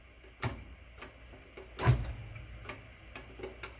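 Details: Whirlpool washer with a bad lid safety switch: sparse faint ticks and clicks, but the pump and motor never start when pressed. The owner plans to bypass the switch by wiring it together.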